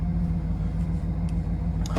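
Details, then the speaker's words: 2007 Cadillac Escalade after a no-start, no-crank fault, fuel gauge now working: deep, steady V8 rumble at idle, fires right up with no knocks or misses; engine idles normally, brake and ABS lights still on. "Fires right up."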